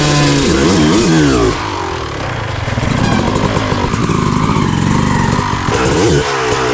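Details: Rebuilt 2000 Honda CR250R two-stroke with a full FMF exhaust, running after being kick-started: crisp revs up and drops back cleanly through several blips with no bogging or misfire. Healthy, normal running.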